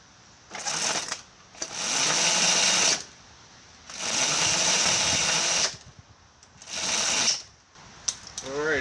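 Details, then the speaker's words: Homemade paddock roller starter on a race bike, in gear: repeated one-to-two-second whirring bursts with no catch or firing. The motor cannot turn the engine in gear, though it spins it in neutral. "have enough to uh spin it over in gear i'll put the decompression on and see we might need a bigger motor for this"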